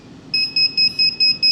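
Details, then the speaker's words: Pavo Femto FPV micro drone with a newly installed high-volume beeper, enabled in Betaflight modes: a loud, shrill beep pulsing about four times a second, sharp on-off with steady pitch. The lost-model beeper is working. "That's loud. That's really loud."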